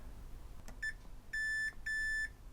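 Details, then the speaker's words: Xbox One S (Beep On Beep Off, corroded) board repair: multimeter in continuity mode across a wire newly soldered to a capacitor and trace; a short chirp then two steady high beeps confirm a good connection. "multimeter in continuity mode and now I should be able to touch that and that that should be joined"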